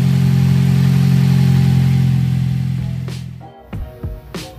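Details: 2007 Toyota Vios Type G idling after fitting an open air filter and strut bar: steady low idle holding even pitch, no rise and fall, misses or ticking before shutoff; idle healthy.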